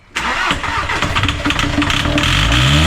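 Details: VW Jetta TDI bought non-running with no compression: the diesel cranks under four turns a second with ragged, uneven pulses and never settles into an idle, while air blows from a hose as the fuel system bleeds. Crank, no start.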